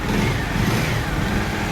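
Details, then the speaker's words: Motorcycle after replacing a worn, stretched loose timing chain and resetting timing; steady full engine note at raised revs with no rattle or chain slap, timing drive sounds healthy. "চমৎকার একটা sound আসতেছে তো আমাদের কাজ শেষ"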